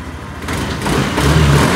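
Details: NMAX B2 scooter that wouldn't start for about three weeks (errors 1 and 3, ECU replacement considered): with the dashboard panel unplugged, the engine catches and runs steadily, low hum smoothing and building; the faulty dashboard panel was the cause.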